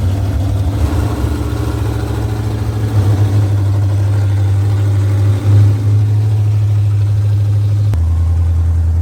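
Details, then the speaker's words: 1973 Dodge Dart with a rebuilt 360 V8 on its first drive after timing it: loud, deep, steady rumble with an even beat, no knocks or misses, very loud exhaust; normal running. "all right so it seems to be running good"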